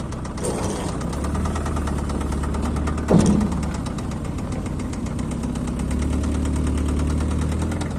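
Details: Honda engine knocking at idle: rapid, even knock over a low idle rumble, steady as revs hold; internal engine knock, cause unknown.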